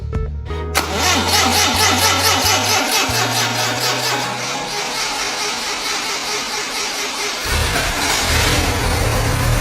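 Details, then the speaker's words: 80-year-old 1942 Willys Jeep engine, freshly rebuilt after sitting seized for years, first start after reassembly: brief crank, catches and settles into a steady, even idle under music; runs smoothly. "And with that, this 80-year-old engine finally roars back to life again. It's running smoothly."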